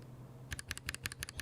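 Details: Stock, unlubed mechanical keyboard switch before a laser-printer fuser grease lube test: rapid paired keystroke clacks, each press and return with a dry, scratchy edge; scratchy unlubricated keyboard switch.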